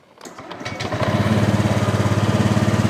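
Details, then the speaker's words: Honda Vario scooter that was hard to start, after ignition rotor replacement, cleaning and adjustment: engine catches and settles within a second into a steady, even idle with no misses or knocks, now running normally. "normal nggih toh. Enggak kayak seperti di awal. Di awal itu walaupun sudah diganti rotaknya dia kan sudah hidup toh."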